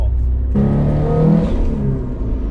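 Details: 500 hp Subaru STI after fixing a cylinder 2 misfire, leak-down and compression tests good: engine pulls hard at 16 psi boost with a clean, steadily climbing note and no stutter through the rev range.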